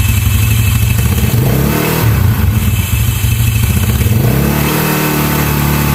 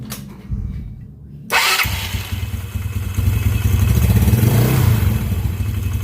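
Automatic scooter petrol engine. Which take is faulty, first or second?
first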